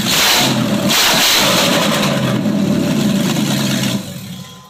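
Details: 1995 Range Rover Classic LWB V8 running on MSD Digital 6A ignition with stock coil, open headers: fires and runs loud with strong even roar dropping off cleanly near the end; healthy and strong.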